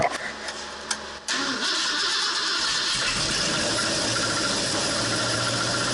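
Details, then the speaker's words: 1968 Ford Torino FE 390, first start after Edelbrock top-end kit: cranks, fires and runs with an uneven, lumpy dead-cylinder beat; a valve held open was suspected, cause not confirmed. "know y something's not right yeah and it sounds like it's got a dead hole like maybe we've got a valve that's being held open"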